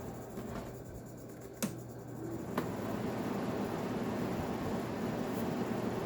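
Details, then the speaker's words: Arctic King window air conditioner, possibly flood-submerged, on low fan: soft even air rush and faint hum, quiet and healthy, possibly thanks to its squirrel cage fan. "It's awfully quiet. I remember these being somewhat loud. It has a traditional squirrel cage fan, that might be why."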